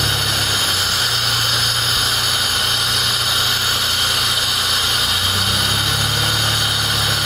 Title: Bad fuel pump?